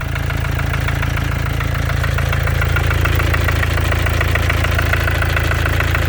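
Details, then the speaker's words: 2014 Mercedes with OM651 biturbo diesel, 300k mileage, started cold, at idle: a regular hard knock about three per second from the top of the engine, the same cold or hot; source unknown, the owner suspects the biturbo/turbo area. "Где-то сверху что-то. Вроде как сам мотор работает нормально, но где-то ещё битурбо."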